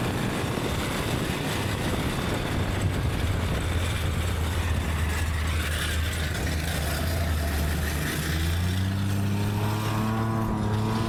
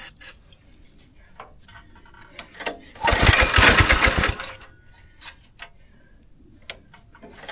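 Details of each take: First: Go-kart small engine revived after sitting about 3 years, carb cleaner sprayed in, somewhat dirty air filter: steady low drone climbing cleanly in pitch with no misses or knocks; runs and idles well, still needs tuning; normal running. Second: Go-kart engine unused about 3 years, choke on, primed, wide open after carb cleaner: fires, chugs unevenly about a second and a half, then dies; bad gas left in the system, smells awful, runs rough.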